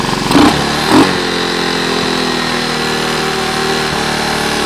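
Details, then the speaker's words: Honda ATC 125 at 23°C, started and running. The small single settles into a steady, even idle after a couple of throttle blips; the engine runs but the clutch is shot. "as you can hear back here I got the 125 started and that's kind of where the good news ends"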